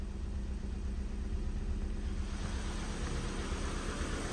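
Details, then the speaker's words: Ford Fiesta salvage car with suspected flood damage: low, steady idle rumble at even beat, no stumbles or misses; running really nice, airbag light on only from front crash sensor. Normal idle. "yeah he actually running really really nice we've got the um the the airbag light on but that's because of that that crash sensor at the front"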